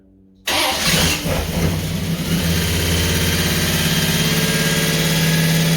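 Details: Holden HQ 308 V8, first start after full rebuild, bores re-sleeved to stock 101.6 mm, Crow Cams 5651 cam (282° duration, 114° LSA), primed through the carburettor: quick crank, catches at once, steady mildly lumpy idle with no ticking or knocking.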